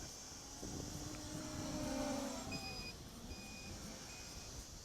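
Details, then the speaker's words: MJX Bugs 3 drone flying in about 10 mph wind after crash calibration, hard pitching and throttle: short high beeps repeat roughly once a second over whirring motors; low battery voltage alarm came on quickly. "now I already have a voltage alarm and this came on pretty fast only because I fixed the sticks and now I can really throw it around"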